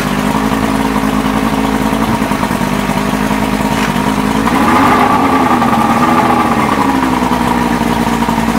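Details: 1989 Evinrude Javelin 175 HP outboard: running with a wavering mid tone that dips and rises, never settling; engine will not start properly.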